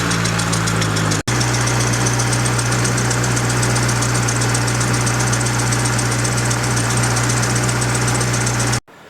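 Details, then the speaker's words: Integra at idle after fitting a replacement power steering pump to fix a leak and noise, with fluid still circulating: a steady low hum with a constant hiss on top, so the power steering noise persists. The owner suspects air in the system. "So, I'll give some time and then I'll pop it up and I'll test that if we still have that same noise coming out of the power steering."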